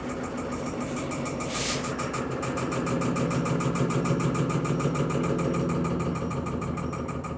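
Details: Electrolux Perfect Wash 16 kg (LP16) washer spinning sneakers at about 630 rpm: loud rhythmic thumping about three times a second over steady hum, machine shaking and possibly not levelled.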